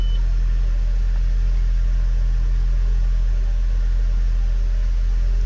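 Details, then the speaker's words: Audi A4 B6 Avant 1.8T Quattro manual idling after water pump, thermostat and timing belt replacement: smooth even idle with steady low hum, no ticking or rattles; normal idle. "all right so the car started which that's really good I'm happy to hear it running"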